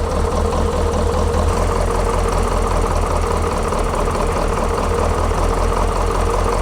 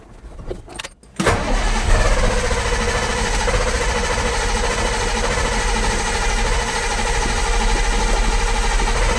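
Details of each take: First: Detroit 8.2L diesel truck after complete fuel system overhaul with injectors removed and reinstalled, idle adjustment disturbed; slow, steady idle with even clatter and deep rumble around 600 rpm, too low, later set to about 700. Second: Detroit 8.2L diesel after a complete fuel system overhaul, with injectors just reinstalled, no primer pump or glow plugs, and the battery not charged. Brief cranking, then it starts at once and settles to an even idle; healthy start.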